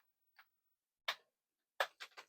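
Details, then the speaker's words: Commodore 1541 disk drive reassembled after fixing a small arm that stopped disk ejection; loading from disk: sparse dry clicks and short chatters as head steps; normal disk loading. "There. It is now loading from the disk drive. It is loaded."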